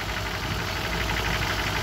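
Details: 1994 BMW E34 M50B20 six with VANOS and automatic at idle; steady rapid knock, not the hydraulic lifters; chains and tensioner shoes new, VANOS rebuilt, no oil use; unchanged for years; source unclear.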